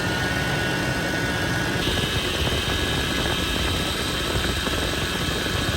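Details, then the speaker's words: Toyota 80 Series Land Cruiser (FJ80) engine running, power steering pump: thin constant high-pitched whine from air in the system, bubbles in the reservoir; fix is topping off, running engine and turning the wheel. "if you see bubbles that's a sign you know that's the reason why you're hearing that noise so as long as there's still bubbles you're gonna hear that noise because of the air that is inside the system"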